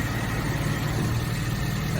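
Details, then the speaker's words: Suzuki Samurai on its first drive after restoration work, idling in neutral, clutch pedal pressed and released: smooth, even low idle with no ticking, chatter or grinding, same in and out; normal idle despite a worn groove the owner noted. "in, out. To me it sounds about the same."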